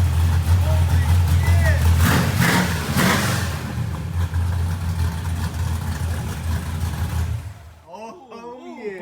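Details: Street car with a small-block Ford 427W V8 on its very first start, wiring just finished and timing unknown: a big, choppy, uneven lope at idle from a hot cam, running strong.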